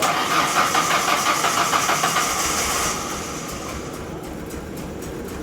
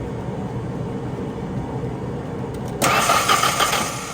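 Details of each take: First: 1997 Mazda B2300 (rebadged Ford Ranger) after replacing a badly snapped timing belt; quick crank catches within a couple of seconds and settles into steady even idle; starts and runs normally. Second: 1997 Mazda B2300 (rebadged Ford Ranger), cranking during no-start diagnosis after fuel at the rail Schrader valve was confirmed: steady starter churn, then a louder rush, but the engine never catches. Fuel, spark and air present; cause not yet found.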